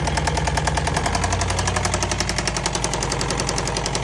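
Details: Engine with a suspected rod knock: heavy, fairly regular deep bottom-end knock about three per second over rough running, seeming louder from one side; owner asks whether disconnecting one coil at a time identifies the knocking cylinder. Cause unconfirmed.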